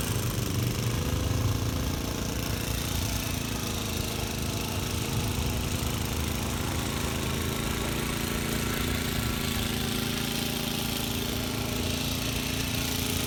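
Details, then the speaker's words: Vintage Cooper Klipper reel mower, driving outdoors and cutting short grass. Steady drone with a fast, regular patter that holds its pace; healthy under load. The reel needs sharpening and the bed knife needs adjusting, but it cuts well. "there you have it it does need to be sharpened and the bed knife needs to be adjusted but it does cut not that the grass is that high now it does cut pretty good"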